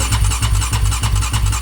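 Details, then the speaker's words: Rebuilt Yamaha Raptor 700 ATV engine, 740cc Trail Monster new build, cranked with the fuel pump disabled to prime the oil system. Even chugging about three turns a second that never fires; still no oil flow; cranking only, no start. "okay so I don't recommend cranking on the starter more than 10 seconds at a time the starter motor itself can get hot and overworked"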